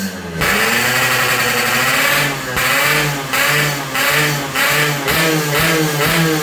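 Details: Yamaha RX-King two-stroke after porting, flattened block top deck and head repaired against leaks; carburettor air being set on first start. Picks up cleanly and revs in even repeated blips with no knocks or misfires; running healthy, head shows no leak.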